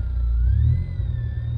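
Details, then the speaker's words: Car stereo while accelerating, before installing a ground loop isolator: thin whine climbing in pitch with revs over the low engine rumble, alternator noise entering the stereo via ground loop after a second amp was added; stops when stereo power is cut. "when i accelerate i don't know if you hear that whining noise that's coming from the alternator"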